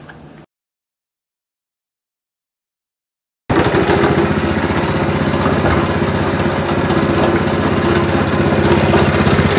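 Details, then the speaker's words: Spice grinding machine after replacing the wobbly loose part with a new tight one: motor starts and runs steady and even with a low regular hum, now smooth and quiet with no rattle. "ini suaranya sudah halus tidak Berisik tuh searan halus tuh"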